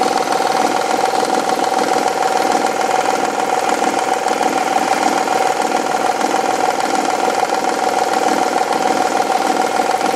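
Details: Honda/Acura V6 idling with a steady knock, under two a second, seeming to come from the rear bank cylinder head; failing timing belt tensioner, noise goes away after tensioner replacement.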